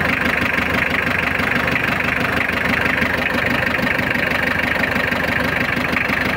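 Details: Mitsubishi L300 diesel, started after glow-plug preheating following clutch, clutch cable, clutch master and tie rod end replacement: even clatter at steady idle with no misses, squeal or knock; normal idle.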